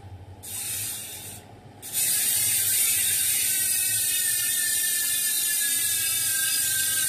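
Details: Industry Nine hub on a Santa Cruz 29er (Boost 110/148): a fast, even, high-pitched ratchet buzz as the wheel spins. The pawls engage cleanly and the freehub sounds healthy.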